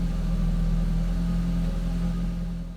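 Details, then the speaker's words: 1.8T Audi TT revving after replacing an ignition coil: smooth rising and falling revs, clean steady drone, no misfire or hesitation; fault put down to coil, downpipe and fuel pump together. "Okay, straight away there's no hesitation whatsoever. Yeah, I think we've solved the"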